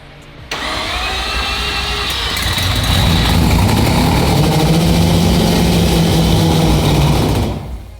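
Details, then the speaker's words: Four-rotor Mazda FD RX7 first start attempt: steady cranking with only faint, scattered firing that never catches; coil packs work so the ECU is firing, and a fuel problem is suspected, possibly gunked premix oil or low fuel pressure. "but the coil packs work so that means the ECU is firing which means fuel issue problem"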